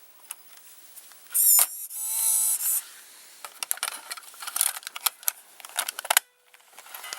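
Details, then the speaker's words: JVC GR-AX33 VHS-C camcorder, opened and running with a cassette missing its cover: small clicks as the tape threads, then short high whirs from the spinning head drum with tape wrapped around it; loading normal. "as you can see this is pretty special also quite interesting the drum is rotating so the tip is wrapped all the way all the way around it because it is a smaller"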